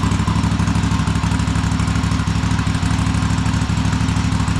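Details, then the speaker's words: Cub Cadet Super LT1554 lawn tractor, 27 hp Kohler V-twin, 500+ hours, after head gasket replacement and carb cleaning, throttle disconnected so governor does nothing: steady even low thrum, very nice idle. "Well, I disconnected the throttle so that the governor is doing nothing right now. And we have a very nice idle."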